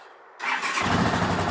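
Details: Rebuilt 1979 Honda CX500 twin, cold start on choke after months standing outside: engine catches after the starter and settles into a fast, uneven stumbling idle; misfire, owner suspects rotten fuel, with a small backfire.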